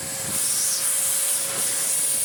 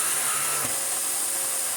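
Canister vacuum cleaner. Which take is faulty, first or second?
second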